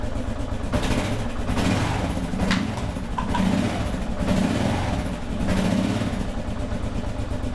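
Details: 2001 Kawasaki KLR650 first start after sitting about 4 years, with new battery, spark plug and cleaned carburetor, warming up without choke control: steady even single-cylinder idle thump, no knocks or misses; normal idle.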